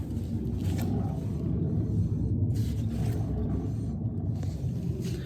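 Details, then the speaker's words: Triumph Spitfire 1500: steady low grumbling rumble from the rear; owner unsure whether differential or a universal joint, cause unconfirmed. "Also, like I say, the grumbling noise, yeah."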